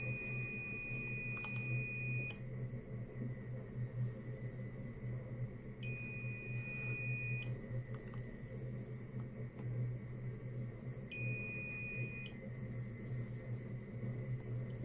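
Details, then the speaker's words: Multimeter continuity beeps while probing LED pads on an LED bulb MCPCB: three clear high-pitched beeps, each track connected, confirming an intact 10-LED series circuit. "तो देखिए ये भी connected है इसी तरह से अगर मैं चेक करता जाऊं तो आपको कंटिन्यू जो है वह लगातार मिलती जाएगी"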